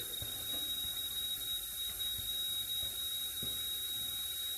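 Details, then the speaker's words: Cylinder leak-down test with about 55 psi of air fed into the cylinder; a continuous quiet airy hiss, steady with no rhythm, as air escapes through the cylinder, possibly past a valve. "got about 55 pounds going into it you can hear air passing through the cylinder or passing through um the valves or something"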